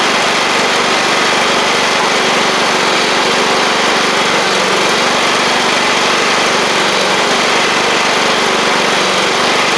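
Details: Free John Deere L110 riding mower after replacing a faulty fuel pump that was flooding the engine with too much fuel: a steady, even high-pitched drone at constant speed with no misses or surging; normal running.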